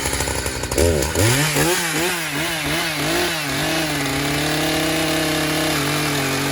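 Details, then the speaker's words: Chainsaw used while cutting smoking wood; revs surge and wobble for a couple of seconds, then settle to a steady high idle, spinning the chain without throttle and finding its own throttle. Idle too high with chain creep; owner thinks it needs tuning. "You can see and hear that the saw is kind of running. It's not tuned right, something's going on with it, but it just keeps spinning the chain without throttle and keeps finding its own throttle, which is kind of odd."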